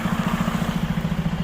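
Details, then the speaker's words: Freightliner truck just back from dealer PM and air dryer cartridge change: steady diesel idle with quick hollow chuffing about ten times a second only while the air compressor fills the tanks, stopping once full. "when the air compressor, listen. You can hear it, but I noticed that every time when the air compressor got to fill up, it has that sound. I've never heard that sound before, and I was wondering why."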